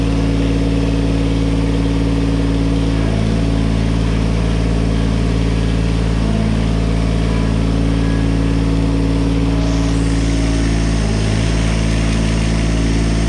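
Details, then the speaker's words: 1986 John Deere 330 diesel mower after fixing its oil pressure switch: steady, even idle with a smooth low drone and no knocks or misses; runs well and the low oil pressure light no longer comes on. "i better open up my garage door before i asphyxiate in here she's running good"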